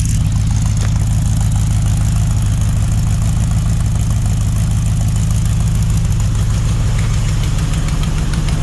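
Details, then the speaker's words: Mopar 400 big block for a 1964 Dodge Polara 500 on a run stand, idling days after first start, with no return spring yet. A faint quick tick rides each firing pulse of the deep, lumpy idle. A passenger-side header leak: the stud hits the tube, and the fix is to remove the header and trim it. "It's because the stud is hitting the tube. We're going to take the header off and trim that up."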